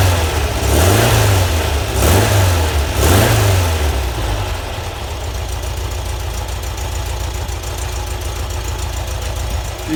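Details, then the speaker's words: VW Type 4 flat-four at the shop, warmed through heat cycles, after 009 distributor, Bosch ignition and 50 idle jets (previously hard-starting): three throttle blips then steady even thrum, no miss or knock, smoke cleared; normal revving. "runs much better now turn a fan on anyway it's been letting it run through some heat cycles"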